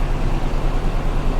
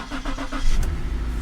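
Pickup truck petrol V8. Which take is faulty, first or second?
first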